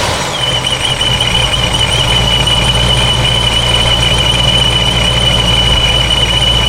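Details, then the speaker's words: Forged 426 Hemi with a ProCharger D1SC straight-cut gear supercharger, at operating temperature after a supercharger oil change: a steady high whine over an even idle, identical to before the change; normal straight-cut gear noise. "so um I would say that sounds absolutely identical so I know a lot of people were theorizing that it needed oil and it was the oil and oil issue definitely not I think this is just how these um straight-cut gear ProCharger sound"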